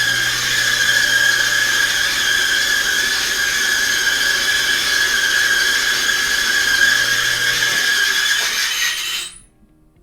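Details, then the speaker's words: Maytag/Cabrio-type dryer with a steady high-pitched squeal over the motor hum, from a worn idler pulley; a rumble would instead point to a drum roller wheel. "so if your dryer sounds like this 99% of the time it is your either pulley if it makes like a rumble sound it's probably going to be the roller wheel but this video is more for the pulley itself"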